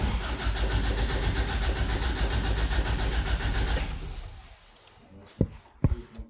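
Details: 1988 Toyota Pickup (Hilux), off the road nearly 5 years, new fuel line: engine catches on residual starting fluid, runs rough about four seconds, fades and dies leaving clicks. No start; owner concludes the fuel pump has failed.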